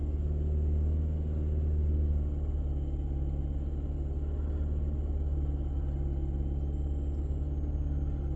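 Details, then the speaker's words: Fiat 500 Selespeed with recently fitted clutch and gearbox, pedal held near 4% throttle: steady engine drone rising and falling as revs hunt up and down; owner suspects a throttle fault causing poor gear changes. "It's very up and downy. Even on the dash, on the revs, look at the little rev counter, they're going up and down."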